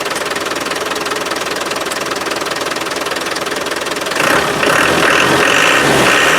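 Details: Land Rover 300Tdi diesel pickup, unstarted since August, air in new 8 mm fuel lines: steady four-per-second beat that picks up only slightly and dies instead of revving freely; owner suspects air entering via the lift pump, unconfirmed.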